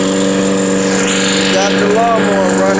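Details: Toro GTS 6 hp lawnmower running outdoors in wind after its pull-cord rope was replaced. A strong, steady engine drone holds a constant pitch with an even beat and no misses or surging. Normal running.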